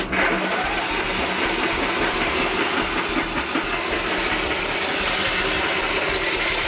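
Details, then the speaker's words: Troy-Bilt XP Horse lawn tractor with a swapped-in engine, on a jumper battery: cranks well and has spark, catches and runs rough and uneven a few seconds then stalls; owner suspects fuel starvation from fuel line, filter, tank or carburetor. "it sounds good. She cranks good. She obviously does run. So, we got we got spark, but it's like we're running out of fuel too quickly."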